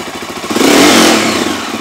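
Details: Stels GT 400 started after repair: short clean rev blip rising and settling back without misfires or knocks; the engine sounds healthy.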